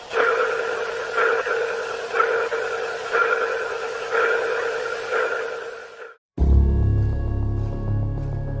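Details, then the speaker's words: Sound heard through the speaker in a spacecraft, connected with the Starliner: sonar-like ping in a steady beat about once a second, then a lower steady hum; source unknown. Pulsing noise. "It was kind of like a pulsing noise, almost like a sonar ping."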